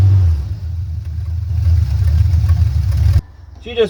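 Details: Engine on first project in the new shop, just after adding ignition timing, vacuum advance unhooked; revs cleanly and holds a steady even note before shutoff.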